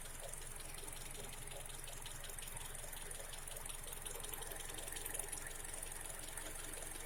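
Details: Honda CR-V K24A engine at idle: quiet light tapping about two to three ticks per second, described as valve knock; cause unconfirmed.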